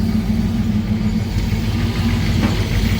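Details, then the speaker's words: Ford Thunderbird V8 first start after engine pull, new intake and rewiring, still cold: low, lumpy idle with uneven beats and stumbles, valve not yet hooked up; stalls if idle drops too low, ignition suspected; rough idle. "This is a little wonky till she warms up. I still gotta hook that valve up yet."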